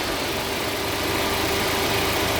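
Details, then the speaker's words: Engine idling after a bad No. 3 fuel injector was found and fixed, warm with the fan kicking on: even, steady idle with a light hiss and faint constant tone, no misfire or knock; runs smooth. "everything's running and your uh your the fan kicks on when the engine got warmer"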